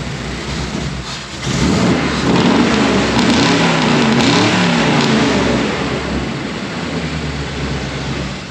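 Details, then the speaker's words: Tall-deck V8 truck with all-new exhaust and changed ignition (adjustable-height Unilite distributor), after long-running exhaust leak was fixed; idles then revs with clean, even burble, no ticking or puffing at manifold; normal, sealed exhaust. "Hear that? Hear that complete lack of exhaust leak?"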